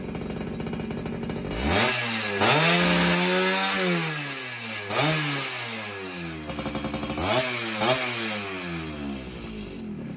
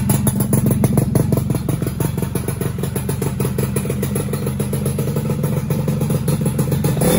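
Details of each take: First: Rebuilt motorcycle, carburetor setting apparently dialed in: clean quick revs falling back crisply, settling into a steady popping idle; owner still wants a road test to confirm carb tuning. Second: Rebuilt two-stroke motorcycle started for the first time with the old small CDI fitted: an uneven popping idle that stumbles and hunts. Main and pilot jets are suspected too small.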